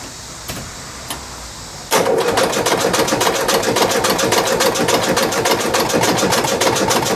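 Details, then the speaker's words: 1977 VW Westfalia, air-cooled fuel-injected four-cylinder, likely a Type 4, long sitting: starter turns the engine at about three and a half even compression beats per second, compression on all four, but slowish; battery went dead. "well the engine cranks over and it sounds pretty good sounds like it's making compression on all four cylinders however the battery as you heard basically just went dead"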